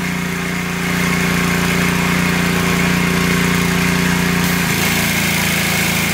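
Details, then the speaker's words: Simpson 3400 PSI pressure washer, Honda GX200 engine, after cleaning the unloader to fix no pressure: steady small-engine note drops as load comes off and settles; normal unloader cycling, engine load changing and going back. "i can hear the unloader you can hear the change of the engine load and it's going back"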